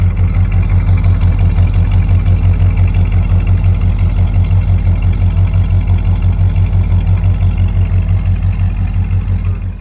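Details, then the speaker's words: 1965 Ford Ranchero V8, reassembled after a new cam, lifters and timing chain to cure valvetrain noise: a low, even, loping idle near three beats per second with no knocks or misses. It is quiet again, a healthy idle. "So we got the car back together. Overall, could not be happier with the way that the engine sounds. It runs good, it's got good power, it's nice and quiet again."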